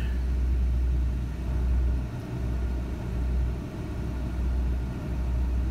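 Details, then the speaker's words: Ford Ranger with HVAC load on: runs rougher, throttle only 19%, idle hunting around 1800–1900 rpm with a low rumble that sags and recovers every second or two; only happens under load like HVAC, cause unknown. "HVAC is back on truck instantly runs a lot rougher you have to throttle we have we're only at 19% if she's bouncing around like 1819 hundred rpm"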